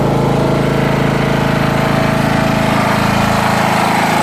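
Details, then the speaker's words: Jonsered LR 13 automatic ride-on mower, Briggs & Stratton 12 hp single-cylinder (model 284707, type 014701), after rewiring and a starting-fluid-assisted start on a weak battery: even chugging about four beats a second, no misses or knocks, running cleanly. "Hop. Allez. Et voilà, ça fonctionne."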